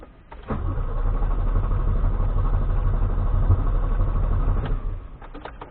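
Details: Engine on a standalone ECU being tuned live in TunerStudio, first start: steady starter churn about three beats a second for several seconds, never fires; long no-start crank after warm-up enrichment was turned down, owner suspects too much fuel.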